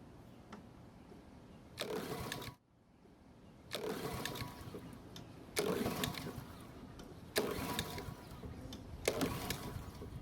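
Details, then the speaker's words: Honda walk-behind mower, picked up free, fuel valve open, oil low but on dipstick: five rough pull-cord bursts about two seconds apart, engine never catches; combined throttle/choke lever suspected of not closing the choke fully. "so unfortunately it didn't even try and start which is not a good sign at all now on this particular design the lever that controls the throttle is also the choke lever and what sometimes happens is that this system will fail to properly choke the carb"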